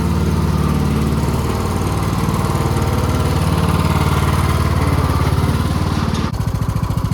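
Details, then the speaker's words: Husqvarna YTH20K46 mower with replacement 20hp Kohler Courage SV600 engine, air filter off, test run: steady even single-cylinder thump, briefly dipping near the end then picking back up; running healthy. "Glad we finally got this thing running again."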